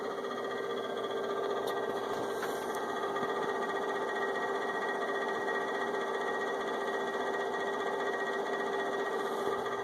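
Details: Inverter with only the left cooling fan on: constant whirring hum with a thin steady whine and light rapid flutter; noisy cooling fan.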